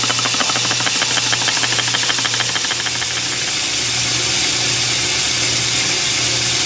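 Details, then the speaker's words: Lathe boring a steam engine cylinder with a high-speed steel bit on a boring bar with long stick-out. Steady hissing rasp with a low hum and fast pulsing rub, no clean cutting; the bit seems to be rounding off and won't cut. "think we're just rounding the bit all right so it's messing around with high speed for a really long time couldn't get it to cut"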